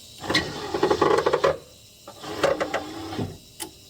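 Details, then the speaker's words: C3 Corvette, about 43 years old, with the switch already repaired and the fault appearing to lie in the plug. Uneven whirring and ratcheting from inside the door while the switch is held: the power window motor runs but the glass doesn't move. "Still not going down. I'm holding the switch."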